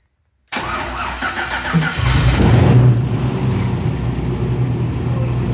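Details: BMW E34 with LS3 V8, first start during rebuild three years after an accident: cranks and catches after half a second, brief rev, then deep even idle settling smoothly; sensors working, fuel pressure 3.8 bar, headers burning off.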